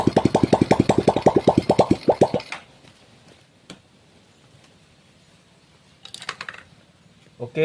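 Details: Honda Supra X 125 after repairing lost compression, ignition checked and fuel flowing to the carburettor, exhaust removed: single cylinder fires with quick even pops for a couple of seconds, then cuts out; starts cleanly.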